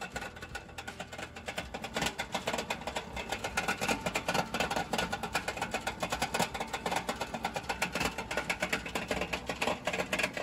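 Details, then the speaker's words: Toyota Land Cruiser after a long motorway drive, harsh rapid metallic knocking pulsing steadily under a thin running note; clutch or engine bottom end suspected failed. "This Land Cruiser started making this terrible noise after a long drive on the motorway unfortunately for them it likely seems the clutch or bottom end is done"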